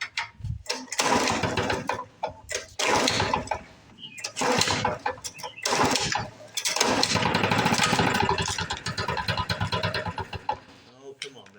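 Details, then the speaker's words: 1977 Ryan commercial bricktop two-stroke mower, first start after decades in storage: fires in ragged bursts and sags without reaching proper speed; not enough RPM, owner suspects fuel system/carb, unconfirmed. "and we're not we're not getting enough RPMs out of it so I guess maybe it's time for a fuel system"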